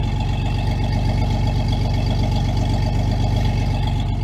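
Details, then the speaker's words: Chevy truck V8 idling with a steady puffing tick over the low rumble from an exhaust leak near the header collector, which the owner still needs to fix. "but yeah you can hear that pretty exhaust leak I got right there close to the collector I've got to zip that up but other than that yeah"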